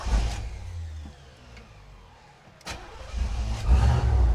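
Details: Old Chevrolet Caprice wagon, first start after driveway-rescue repairs and a new belt, with a little gas in the carburetor: brief cranking, then it catches at once and settles into a smooth, even idle with no stumble or knock; normal start.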